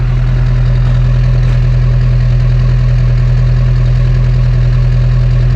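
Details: LB7 Duramax diesel pickup, warm after about four miles uphill at 70°F, running slightly hot, exhaust listened to: steady, even idle with deep regular exhaust pulse, no misses or stumbles; running healthy, injector four not hung up.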